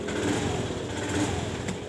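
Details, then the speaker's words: Honda Scoopy injected scooter that stutters and dies on throttle: idle rises and sags unevenly and stumbles, no fault code shown; fuel pump pressure spec 40–42 psi. "kita dengarkan langsam dari motor ini tidak stabil dan brebet"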